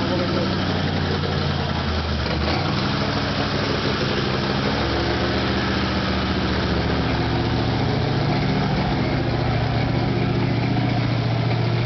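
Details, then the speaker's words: Chevy Nova V8 with a thumper cam, first start after a rebuild: a loud, lumpy idle that surges and wanders and won't idle steadily, because the rockers still need setting and the carburetor adjusting. "It still won't idle, because we got to set the rockers again and adjust the carburetor, but..."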